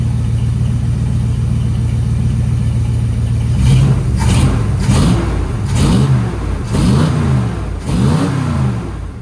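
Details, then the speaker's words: V8 just restarted after its timing was reset (the distributor had been wrong), on fast idle at about 1100 rpm while warming up, with about 800 expected: steady, even fast idle, then clean throttle blips that rise and fall smoothly with no sputter; sounds much better. "It sounds a lot better. I'm sure it does. What should the RPM be at? About 800? About 8. It's on the fast idle though. It's at 11 right now."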